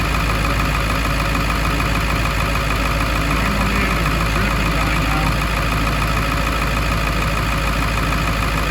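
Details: After EBPV pedestal seal repair for an oil leak and a new pedestal pigtail connector on a 1999 Ford F250 7.3L Powerstroke diesel, steady even clatter at idle with no stumble or change in rhythm; the engine is settled and running smoothly.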